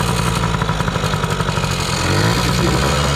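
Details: 2000 Yamaha PW80 two-stroke on a new genuine Mikuni 21W-14101-01 carb at factory settings, replacing a leaking Chinese carb: crisp burble that picks up cleanly on throttle, no misses or bogging; normal idle and revving.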